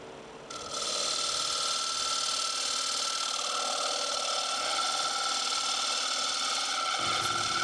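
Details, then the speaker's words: Black cherry bowl turned twice on a Rikon wood lathe, walls thinned: a high buzzy singing tone rides over the cutting rasp as the thin rim flexes and bounces. This is tool chatter, reduced by holding the rim. "And you can hear I'm already getting a lot of chatter. You know, once you get down under a 1/2 inch, you usually start getting a lot of chatter out towards the rim."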